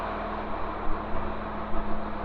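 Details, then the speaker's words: Tractor-driven baler just reassembled with a new bearing, replacing one whose bolts backed out and left it flopping; deep steady engine drone, driveline turning evenly, no flopping knock or grinding; sounds good, running healthy. "Got her all put back together. She sounds good."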